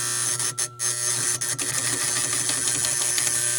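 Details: Gottlieb Four Seasons pinball machine that won't score right: a steady, harsh electrical buzz with a low hum and brief dropouts from a chattering relay whose armature plate and coil face are rusty.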